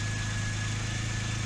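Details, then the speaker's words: Porsche 996 Turbo on a cold start at idle: steady low drone with a faint repeating stumble. The Durametric cable shows cylinders 3 and 6, at the ends of both banks and the fuel rail, consistently misfiring. "three and six they're just missing like crazy and this is a cold startup so that's consistently on the ones that are at the end of both banks"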